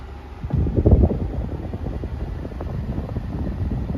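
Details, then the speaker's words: Brand-new Midea U 6,000 BTU window air conditioner (late-2025 build) installed in the window, compressor ramped up, apparently to full capacity, fan on high and then auto, 70s°F and humid outside. Steady low fan whoosh with a very slight compressor hum, no rattles: normal operation. "So the compressor just ramped up, I think, to full capacity. This is it on the high setting. You can hear a very slight hum within the compressor, but turn the fan speed to auto."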